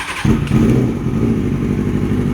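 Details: Rebuilt Kawasaki ZX6R streetfighter, engine out and stored about three years, first start after fixing a fuel pump problem and priming the carbs: it catches at once and settles into a steady, deep, even idle with no knocks or misses.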